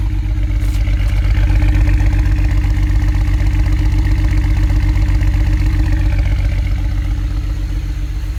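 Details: 2008 BMW 135i N54 engine: rough, lumpy uneven idle, cylinder 6 misfire caused by a bad injector, running on five cylinders and nearly undrivable.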